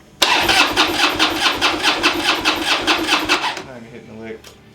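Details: Harley project bike from a fire, battery charged overnight, a gallon of gas added: the starter spins the twin about three seconds at roughly two pulses a second without firing. The fuel pump is heard running, but fuel starvation is suspected, not confirmed.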